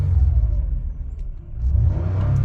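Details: 2016 Toyota Sienna with hard starting, poor running and cooling fans always on, engine warming up: short low rumble dips then picks up smoothly as throttle opens, no stumble. Normal throttle response after bad wiring was found.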